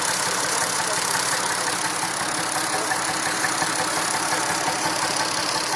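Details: Massey Ferguson 2645 tractor, Perkins 6-cylinder diesel said rebuilt 100 hours ago, lacking power: rough slightly irregular idle chuff about two beats a second, pulses uneven; suspected valve not closing properly, low compression in a cylinder.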